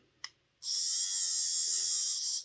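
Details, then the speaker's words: Airfix Class 31 model loco motor run on a battery after checking the armature for end float: a steady, smooth high-pitched whir. Much better, though still not a very quiet motor. "that sounds better. Still not the quietest motor in the world, but that sounds an awful lot better."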